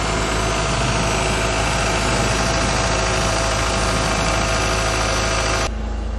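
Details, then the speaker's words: Classic carburettor car warming up on a manual choke: after a couple of minutes the rpm rose to 1,500, then with the choke almost all off it idles at 1,000 rpm, steady and even with no misses. Normal warm-up idle as the temperature needle starts moving into the normal zone. "Okay, a couple of minutes have gone and the RPMs have gone up to 1,500, so that means we must take it down. The choke is almost all off, 1,000 RPM."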